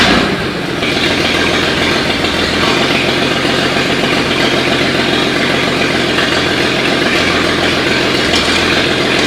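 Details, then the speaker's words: 1939 GMC COE 4x4 inline six with updraft carb, after fixing fuel delivery, wet plugs and a minor valve adjustment: catches within a second and settles into a steady, even idle with no misfires. Normal idle. "it was mostly fuel delivery issue there with that updraft carb so got that all sorted out she's running good now"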